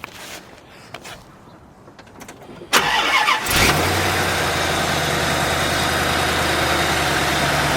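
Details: Corvette with a new drive belt, correctly routed under the tensioner after the old belt was misrouted and rubbing: quiet, then it starts and settles into a smooth, steady idle with no squeal or chirp. The belt drive is healthy.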